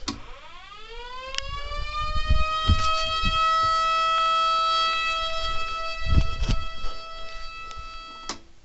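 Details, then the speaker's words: Megablaster Jr. siren after its rotator control circuit was resoldered, powered up for a test: it winds up over about two seconds to a steady wail, holds evenly and cuts off cleanly. Normal siren operation. "Get the main power on. And there it goes. It's working now."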